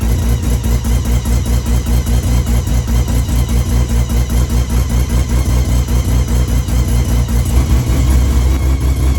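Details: Customer car during a timing check before going home to Taupo: timing where it needs to be, engine picks up cleanly on throttle with a strong even beat, no misses or knocks, revs freely; normal revving.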